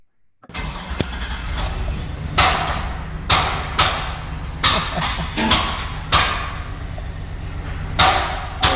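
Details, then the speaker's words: 2009 GMC Sierra 2500 LS V8 starts and runs rough with sharp irregular pops, misfiring and backfiring badly; affects left bank only, stops when left-bank coils disconnected; new coil didn't fix; codes P0171 lean bank 1 and P0300. "this vehicle runs rough and backfires so the customer complaint this vehicle is it runs rough misfires and backfires badly"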